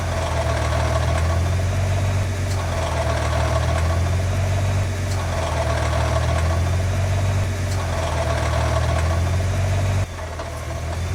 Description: The Nissan GT-R R35 makes a distinct rattle sound typically caused by a failed bellhousing unit.